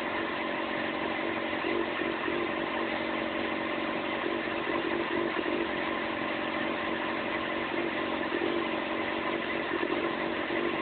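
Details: Yamaha FZ6 four-cylinder motorcycle: uneven idle, tone wavering instead of a steady beat; problems idling and running below 3000 rpm.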